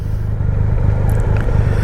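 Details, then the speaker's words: 2020 Triumph Rocket 3 GT three-cylinder, riding home in December after the rear master brake cylinder recall repair and an oil change, showing 34.8 mpg: deep, even drone under riding load; normal running. "There's no brake issues. The motor's running like a sewing machine, and it's telling me 34.8 mpg, but it's a 3-cylinder, right?"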